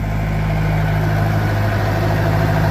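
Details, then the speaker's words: Farmall 504 tractor after fuel delivery fix, about 10 minutes later: deep, steady low hum holding even idle without surging or stumbling; still running, normal idle. "still running. I think that was the cause of our issues, fellas."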